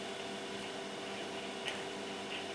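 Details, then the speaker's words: Yaesu FT-7800 transceiver noisy on transmit: steady hiss and faint hum under transmit audio appear when the microphone cable is wiggled at the mic end, not the radio end; intermittent microphone ground wire. "but now maybe you can already hear it in the background it is there when I move the wire"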